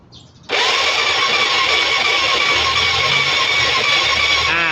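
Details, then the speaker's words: Yamaha Fino with aftermarket pipe, owner complains of black smoke despite top-end rebuild: starter spins engine evenly and steadily but it never starts; spark plug found fouled black, spark jumping abnormally from plug. "แต่พอครูบีบเบรกหน้าอ่าถือว่าเครื่องยนต์หมุนเป็นปกตินะนะฮะแต่มันไม่ติด"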